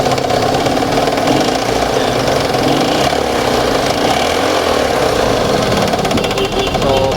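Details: Ford Escape engine at idle with a busy, rattly knock running under a steady mid-pitched drone: sudden engine knocking.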